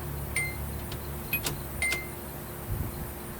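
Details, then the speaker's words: Nissan 240SX, first crank attempt after reconnecting the ignition switch wiring: crisp relay clicks in the cabin at key-on, normal; the fuel pump fuse was later found missing. "can hear some relays kicking on"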